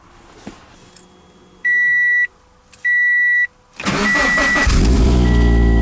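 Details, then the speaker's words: Scion FR-S after replacing the ignition coils for misfire codes P0302 and P219A: two chimes, quick crank and catch, then an even, steady idle with no stumble or miss; normal idle. "runs oh yeah that's way better nothing's missing now it's smooth"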